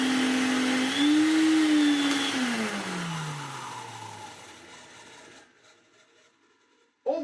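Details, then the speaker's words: 1990s Electrolux Tango Z1661 cylinder vacuum cleaner running on max; its owner worried about a weird noise on wind-down. Steady motor whine with a harsh metallic scraping over the airflow, then it spins down; dry motor bearing. "This one, however, sounds a little poorly. On the video that I was sent, it certainly had a noise to it. If we stick it in max, it really well, but hear that metallicy sort of scraping sound."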